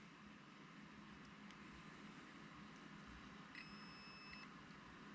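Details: Wheel Horse 520-H lawn tractor starting circuit troubleshooting, bench-testing a starter relay energised through thin wire: a steady high multimeter beep of about one second over low hum; relay clicked and continuity shows the contact closed, relay working.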